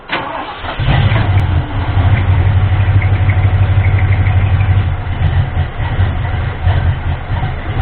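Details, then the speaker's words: Ford 351M V8 being diagnosed for a misfire and rough idle, fuel splashed into the carburetor to prime it: the engine catches, then runs rough and stumbling. Fuel starvation is suspected, probably because the float bowl has not filled yet. "kind of water was doing before that still might be a fuel issue probably hasn't completely filled up a bold yet"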